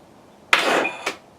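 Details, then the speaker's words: With a new, fully charged battery: a sharp click with a brief electrical buzz, then a second click, but the engine never turns; the solenoid works but the starter motor is stuck. "you're getting to click because the power is going there so it's giving the jolt but the starter we already know like I explained is stuck"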